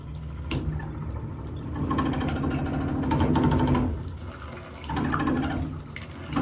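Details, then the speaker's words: Kohler tub faucet valve: water rushes in uneven surges and sputters, swelling and dropping every second or so; air in the line was ruled out, owner suspects a bad cartridge. "Yeah, we've got a bad cartridge or something, so I'm gonna show you guys, if you're experiencing something like that, I'm gonna show you how to change it out right now."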